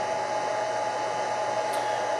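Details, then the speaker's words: G0602 mill CNC conversion, enclosure cabinet: VFD switched on, loudest part of the machine; steady airy whoosh with fixed thin whine, smooth and even; healthy drive cooling fan running normally. "now I'm going to turn on the vfd this is by far the loudest part of the machine and it takes a second to load up"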